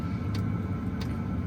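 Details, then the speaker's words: Chinese diesel heater in a Four Wheel Camper, test run on low setting with fan low after replacing a leaking fuel filter: soft, evenly spaced pump ticks about every two-thirds of a second over a low rumble, normal. "Ticking, honestly, it's not that bad right now. And it is on like a low setting, so I can kind of crank it up. It will get louder. And the ticking increases, but I think this amount will fill my camper with warm air, nice and perfect."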